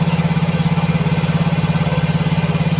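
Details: Yamaha Mio GT fuel-injected scooter just after new injector fitted: quick, even idle pulse around 1900 rpm, above normal idle; injection now 1.0 ms, mixture trim -7 since CO/fuel setting at 15% is too rich, holding idle high.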